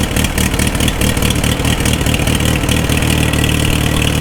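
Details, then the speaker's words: 4-cylinder tractor right after a magneto was installed and timed, fuel on with a little choke: fires up and settles into a steady, even putter with no misses or knocks; idle sounds healthy. "okay you're gonna hear the the magneto impulse and then hopefully it'll start right up"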